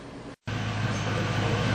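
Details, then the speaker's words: Engine idling after fixing a misfire caused by a damaged spark plug: steady even low hum with no puffing or skipping beats — smooth normal idle. "That's what it's supposed to sound like right there. Real smooth, no puff puff puff."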